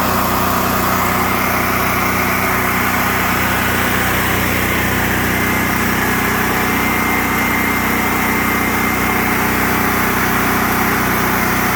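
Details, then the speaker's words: Generac RS8000E generator with 2.9 hours, which surged after a fuel inlet replacement, after carburetor cleaning and fuel system flush: steady, even engine note at constant speed with no hunting or surging; normal running. "So it looks like we got it back up and running good. I'm sure there won't be any more surging since the carburetor's cleaned."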